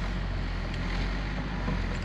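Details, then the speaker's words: 2007 Dodge Grand Caravan 3.8, 206,427 miles, oil pressure light on: low, uneven idle rumble with a ragged beat; doesn't sound starved of oil, so a false light or bad sensor is suspected; oil level unchecked yet. "it doesn't sound great but it does not sound like it has no oil pressure so maybe that's a false light bad sensor some of that nature"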